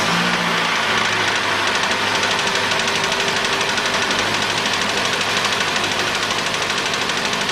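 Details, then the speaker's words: 2013 Mitsubishi ASX 1.8 petrol, CVT, 390,000 km, replacement engine fitted at 220,000 km: busy idle with uneven, stumbling beat and faint repeating tick, engine shaking; also knocks when cold, piston knock suspected, engine to be opened. "двигатель заводится работает но его трясет сейчас я запущу"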